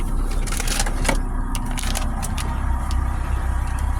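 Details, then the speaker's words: 2008 PT Cruiser petrol engine at idle with code P0301, cylinder 1 misfire, persisting after new spark plugs: a low, uneven rumble that stumbles irregularly; owner suspects compression rings, injectors or other faults. "it says P0301 which is cylinder 1 misfire detected so what I'm looking at here is that the cylinders are not firing properly which is unfortunate"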